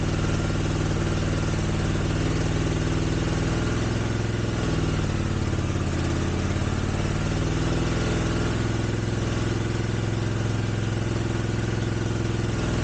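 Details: 1983 Honda GL650 twin, left outdoors 30+ years, first start after carb cleaning, on choke: steady, even low throb with no misses or knocks; starts right up, exhaust clear, no smoke; sounds like a good engine.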